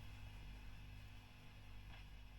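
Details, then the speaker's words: Fender Bassman '59 reissue (2008, 4x10) after service, with a shield fitted against hum from the lights: steady low mains hum with faint hiss, no crackle or pops; amp idling cleanly, sounding good. "That's all sounding pretty good."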